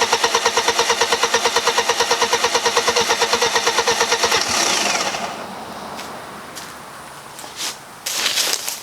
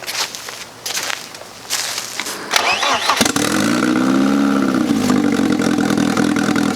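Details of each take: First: 1995 BMW E36 318ti with turbo conversion, first start after the build: starter spins evenly, about three beats a second, for about four seconds without firing. The fuel pump had not yet pushed fuel up to the rails; it later started with no leaks. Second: 1995 BMW E36 318ti with eBay turbo kit, restart after installing coolant lines, oil feed and fuel pressure regulator: cranking stutters, then catches and settles into an even, steady idle without misfire or knock; normal start and idle.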